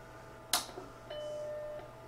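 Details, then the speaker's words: 1986 Mac Plus with its revived external CMS hard drive, after storage in a bag for over a dozen years: a click at power-on, then one clean steady startup chime under a second with drive ticking; it boots normally from the hard drive. "ah it goes ping hello i am magentos it sure is great to get out of that bag"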